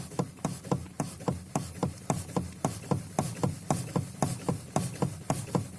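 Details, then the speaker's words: Lada Kalina steering rack, 3.1 turns, knocking near center: sharp regular knocks three or four a second when returning wheel to center; rack rebuilt twice, caprolon bushing, new preload spring, greased, bushed steering joint, knock returns within a month. "стук вот такое положение 0 то есть от него влево стук справа попробую при возврате в 00 и стучит"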